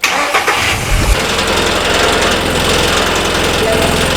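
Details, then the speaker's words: Old VW Jetta at startup: engine catches and idles with a tinny buzzing rattle from underneath. Mounts checked okay; the cause is a loose engine skid plate, retightened with a rubber hose stuffed in the gap. "刚才打着车以后，发现这个声音是从底部传出来的。"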